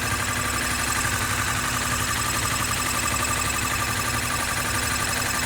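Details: 2013 Honda CBR250R ABS, 6 months old, 2500 km, oil recently changed to synthetic Honda oil; at idle a fast, uneven metallic chatter from engine/gearbox rides over the engine note, source unknown to dealer.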